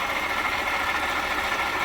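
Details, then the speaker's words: 2018 Jeep Grand Cherokee 3.6, push-start, customer complaint of underhood whirring, pinpointed with a long screwdriver against the water pump: steady idle with a smooth, constant whir over the engine, no knock; worn water pump, replaced. "All right, you hear that whirring? That's the water pump. So how did I figure out that it's the water pump?"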